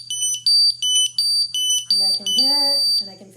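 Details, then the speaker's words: Ventis MX4 multi-gas monitor during a bump test with test gas applied: sharp high chirping beeps about three times a second in a steady pattern as the alarms light up and it vibrates; all sensors pass. "and when it's flashing like that you put on your gas okay and you can see the clock flashing again i'm getting the alarms here so they are lighting up"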